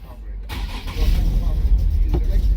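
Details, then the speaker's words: 2013 Nissan 370Z, lower control arm repaired after an accident: the engine catches with an uneven rumble, won't accelerate, then stalls. The check engine light is on; fuel pressure and the fuel pump are under suspicion. "And then shut off in a few. That's our problem. The car start and doesn't go nowhere."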